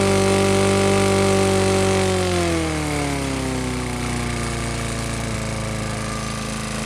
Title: BRIGGS & STRATTON GETS A BREATH OF OXYGEN (rod knock)